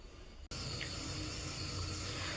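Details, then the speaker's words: Toilet tank with old fill valve whose hose has broken off: steady thin hiss of water trickling in, fill valve failing and taking forever to fill; valve to be replaced. "And you see that it's just not, the fill valve's not working. It's taking forever to fill up."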